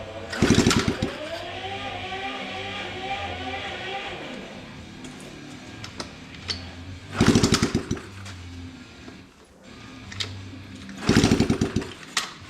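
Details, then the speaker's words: 70/72cc Coolster pit bike, exhaust and cross bolts off, after a catastrophic flywheel case failure: three kick-over bursts with clatter, never fires; no spark, owner suspects cooked sensor/stator. "She's not happy. You know, I just realized we don't have the uh cross bolts in either. Yeah, but I mean at the same time it should still [ __ ] start."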